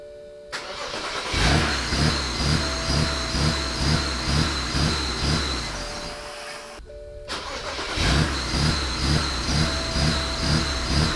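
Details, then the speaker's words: BMW 535xi wagon engine cranks and chuffs twice a second but never catches to a clean idle, even after a throttle valve adaptation; throttle valve won't move and never sweeps at key position two. A blown powertrain fuse in the DME e-box was the cause. "well she's still not wanting to run correctly and even though i went and did a throttle valve adaptation i can't seem to get this throttle valve to move or anything"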